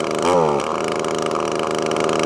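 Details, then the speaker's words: Echo ES2400 two-stroke leaf blower with a new replacement carburetor. The mixture screw is backed out in half- and quarter-turn steps, and the buzzy note lifts into busier, higher revs as the richened mixture lets it pick up. "now that's roughly where most hard breaths will be but that's not so we're gonna keep going a bit more now you can hear it starting to pick up in revs"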